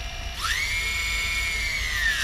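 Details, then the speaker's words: Old 3D Robotics Iris+ drone armed without props after satellite lock, four motors on throttle; clean whine rises with throttle, holds, winds down smoothly, motors spinning at different speeds, no grinding or rattle; motors healthy. "We got throttle control. You can hear the motors all spinning different, so it's working."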